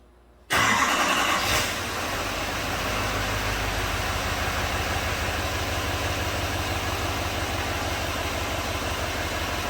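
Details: 2017 GMC Sierra 2500HD 6.6 Duramax diesel after wiring in a new injector connector for the undriven #7 injector (misfire code P021A): cranks briefly, catches cleanly into a steady, even idle; misfire fixed.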